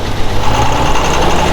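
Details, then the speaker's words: Shop forklift with coolant all over: rough, lumpy idle with a missing beat and uneven shaking; one cylinder is dead and not firing. "Oh, that's a dead hole. You get a different forklift, I think."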